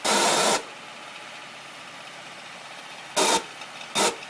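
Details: 2009 Acura MDX at idle after A123 service: loud hissing bursts come and go irregularly, one about half a second then two shorter, over a faint idle; strange noise, cause unknown.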